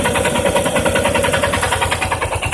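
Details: Yamaha Ténéré 250 single at idle: fast, regular metallic ticking over the idle; top-end rattle, owner suspects valve or cam chain, possibly tensioner or bearings, not confirmed.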